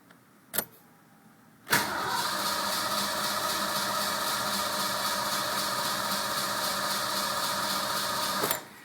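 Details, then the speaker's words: Ford Mustang 5.0 with a newly replaced distributor, ignition control module and negative battery cable: a click, then a strained crank that never fires and winds down. The tachometer drops off while cranking; the owner suspects a large voltage drop. "it's almost like there's a huge voltage drop the way it just drops down like that"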